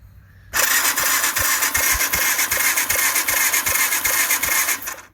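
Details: 2015 Bashan Storm 250, started by bridging starter terminals with a tool: cranks and fires with steady chuffing beat about two and a half per second, catching cleanly; spark confirmed.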